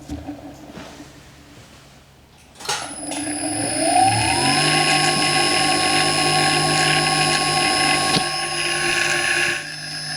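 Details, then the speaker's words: Clarkson Mk1 tool and cutter grinder motor just refitted with new economy bearings, end bells possibly swapped: spins up with a harsh, gritty high-pitched rush over the hum instead of the plain hum expected; noisy motor bearings, later replaced with branded bearings. "You know, I don't like the sound of that very much. To say they're brand new bearings. All we should hear from this is a hum."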